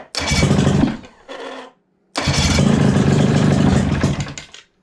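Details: Johnson 35hp outboard that sat 15 years, first start attempt after diagnosis: uneven sputtering bursts catch briefly, die, fire again with some throttle then fade; rough sputtering start.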